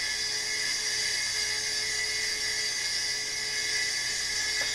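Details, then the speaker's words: Hard drive refitted in a Power Mac 7200/75 running Mac OS 8.1: a harsh, steady, high-pitched whir and grind with a thin tone underneath; a badly failing old drive that still functions. "Okay, get ready for the noise, because this thing, this hard drive, is something else."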